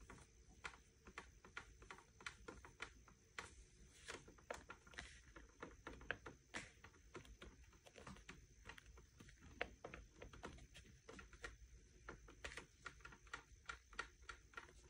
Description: Generally, the chair is pretty fine, the armrests are the biggest letdown here, they are noisy, squeaky, and wobble a lot.